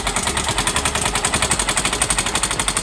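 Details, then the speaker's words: Yamaha Mio M3 125 scooter, engine started with CVT cover removed, customer complaint of noisy engine and hard starting after overdue oil change: loud, harsh uneven rattling knock at idle, roughly every half second, bottom end starving from lack of oil. "Bunyi mesinnya masih keras, Guys, ya. Suaranya masih keras, Guys, ya. Oke, bunyinya masih keras."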